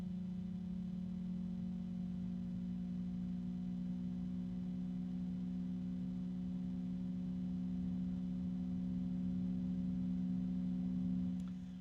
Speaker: Sleeve bearings. And it's pretty quiet. It won't stay that way because it's sleeve bearing.